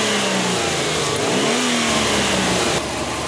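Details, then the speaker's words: 2004 Subaru WRX 2.0 L turbo with P0171 lean code and hesitation, after cleaning the hot-wire MAF sensor: a sharp throttle blip makes the engine rev up quickly and cleanly, then settle smoothly. Normal, crisp throttle response. "watch that first bike you can actually hear how much faster this engine revs too you can hear it you can see it"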